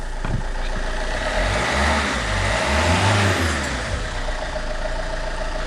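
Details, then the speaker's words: Alfa Romeo 159 1.9 JTDM diesel after fitting a new turbo, intake pipe pushed on but not secured: idles, revs up smoothly and settles back without hesitation, stumble or odd noises; engine sounds healthy. "so I'll quickly just push the intake pipe on not secured it but push it on so it can feed the air correctly sounds healthy and more importantly I can do this"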